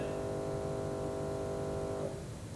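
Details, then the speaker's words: Workshop bandsaw just after switch-off: steady electrical buzz for about two seconds, then cuts out cleanly. The braking module stays on about 10-15 seconds after turning off, so this is normal brake buzz. "When you turn the machine OFF, the braking module stays on for about 10-15 seconds though."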